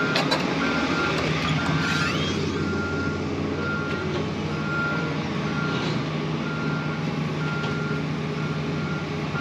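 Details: Diesel front end loader (1638 hours) running: rumbling in reverse under a steady, repeating high backup-alarm beep. Pulls normally, alarm working.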